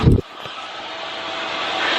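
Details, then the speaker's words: Chinese diesel heater newly installed in a 2015 Freightliner Sprinter van, started after purging the fuel line. A brief thump, then a smooth, steady rushing roar builds as it warms and blows hot air. Normal operation. "here we go i hear it it's going come on it's coming out hot it's just taking a while nice and warm just going to let it run for a bit"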